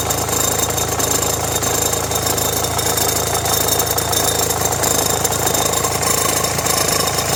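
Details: Renault Megane 1.5 dCi idling with radio, rear window heater and blower on: fast, uneven metallic rattle from the belt-driven accessories. Belt and tensioner already replaced; noise stops with A/C on, so the owner suspects the alternator or A/C compressor.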